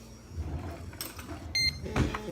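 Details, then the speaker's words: Insulin pump filling its infusion tubing during a site change (about 15 units to fill): quiet, brief motor buzz with faint mechanical ticks under handling noise, the vibration of the pump normally priming insulin into the tubing. "And if you hear that vibration noise, it's putting the insulin into the tubing."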